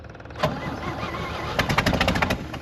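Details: 1964 Chevy C30 1-ton with choke set: cranks, catches with a sharp pop backfire and a few ragged firings, then falters; also dies when the key is released, ignition suspected miswired.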